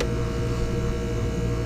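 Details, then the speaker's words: ClimateMaster geothermal heat pump, suspected about 8 oz low on charge: deep steady hum, even tone, no knocks or rattles; compressor changes tune as second stage (Y2) cycles on and off, working normally. "take my y2 off you hear the compressor change tunes so I know the second stage is kicking on and kicking off"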